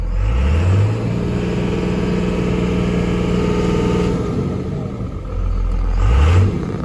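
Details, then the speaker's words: Diesel pickup truck given throttle: revs up unevenly and sags, stumbling instead of climbing cleanly; diesel shop is pretty certain the lift pump has failed, not yet diagnosed. "i talked to them yesterday they said he said he's pretty certain that it sounds like the lift pump took a crap"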